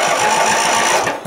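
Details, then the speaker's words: Riding mower with a new battery, after rust was ground off a bad switch contact: quick, even chugging beats as the starter spins the small engine freely. Cranking is normal, with no dragging or clicking. "You're like, damn, it sounds like a Chevy."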